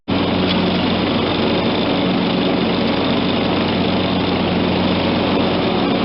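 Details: John Deere LT160 automatic lawn tractor, Kohler Command 16 hp, 42-inch deck, running with blades and hydrostatic drive engaged after repairs. Even, unbroken drone with no surging, misses or knocks; healthy under load.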